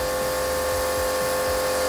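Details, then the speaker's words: Kodenki KDK-8120V jet cleaner, gauge already at 320 with 1700 W drawn and a burning smell: loud steady drone with a fixed tone near 500 Hz and a labouring pulse about three times a second; motor straining under load. "Tapi ini belum apa-apa udah di 320 dan suaranya ngeden. Terus listriknya langsung kehitungnya 1700."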